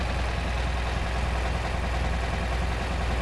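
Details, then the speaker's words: Classic VW Beetle just after carburetor clean and partial restore, fresh start while warming up with choke on: steady, even low idle with no stumbles or misses, running smoothly; takeoff hesitation since cured. "Beauty. Idling good. Let's let it warm up a little bit."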